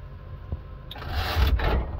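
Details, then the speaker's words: Suzuki Samurai with a swapped 2.0 L engine on a start attempt gives a sharp click, then a rough high whirring burst with no cranking; the starter seems to spin past the flywheel, suspected wrong starter type, unconfirmed. "oh okay it made some noise let's take a look here you know what that is a starter issue it sounds like that starter is shooting right past there"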